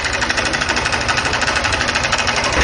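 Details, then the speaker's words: 160cc motorcycle that runs fine but has loud engine noise: hard, quick metallic knocking over the idle, loud throughout; engine to be disassembled. "moto funciona perfeitamente porém o barulho rapaziada está muito forte no motor dela"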